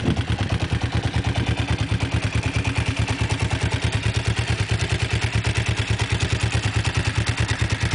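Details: Kawasaki GPZ engine at low idle: steady, even clatter at about two beats a second; an unidentified mechanical knock.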